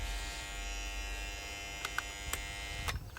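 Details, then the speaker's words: Bell & Howell 652 16mm film projector powered for the first time after being trash-picked; thin electrical hum and buzz without a strong spin, motor not getting enough power, owner suspects a capacitor; belt found twisted; weak motor hum. "But it sounds like the motor is not quite there. So what could be wrong?"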